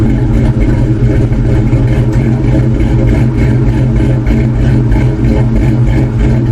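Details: 2002 Ford Mustang GT V8 just after installing Howard's Rattler Street Cams, new plugs, coil packs and 24 lb injectors, untuned: deep, loud rumble with an uneven, loping idle beat typical of a big street cam.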